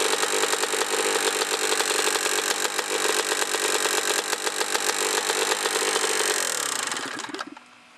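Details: 2003 Honda CR125R two-stroke with low hours, no top-end rebuild ever and little maintenance: sharp, rapid top-end tapping over the buzzy two-stroke until shutoff. The owner suspects piston slap, a sticking power valve or reeds, and plans a piston and ring job.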